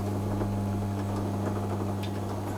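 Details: Vintage Hotpoint Empress twin-tub washer, estimated nearly 60 years old: steady low motor hum with a faint, even ticking on top; agitator turns smoothly and sounds normal.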